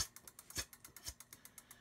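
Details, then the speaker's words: 2018 Juiced Ripcurrent S ebike after controller (ECU) replacement; light regular ticking rub about eight per second following wheel rotation, not the brake disc and pads, sounds like the tire rubbing against something; cause unconfirmed. "it doesn't sound like it's coming from the buffet it sounds like the tires rubbing against something"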